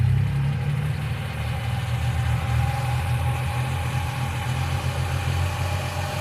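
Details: 1995 Geo Metro at idle: a faint, quick ticking that follows engine speed rides on a steady low idle, suspected noisy lifter; B-12 fuel injection cleaner added to the engine oil before changing the oil.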